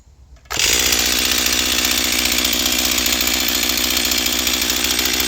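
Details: Stihl MS241 C chainsaw with computer-controlled carb, after Seafoam and air filter refit, dull chain, mics removed: snaps to full throttle, steady high clean scream while cutting, no bogging; normal, runs great on the high side, starting remains the problem.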